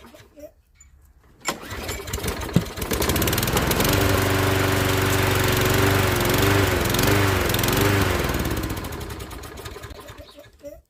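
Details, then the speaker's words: Toro walk-behind lawnmower small engine, warm, after routine service (oil extracted, fuel found fine and reused): catches after a couple of seconds, runs a steady, even single-cylinder chug, then shuts down cleanly; normal start and run. "So it's just time to fire it up, as Toro would say, and just check the oil once more, and then it's done."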